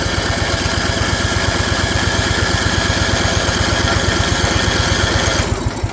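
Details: Old riding mower/ATV of unknown year with many miles, barely runs, throttle set up, in neutral. Small single-cylinder holds fast busy pulse, never settles low; revving too high, owner suspects governor needs adjustment.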